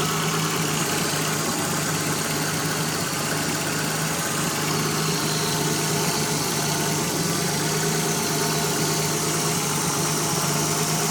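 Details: Nissan 300ZX Z31 at idle: constant airy hiss over the steady engine note, an intake vacuum leak.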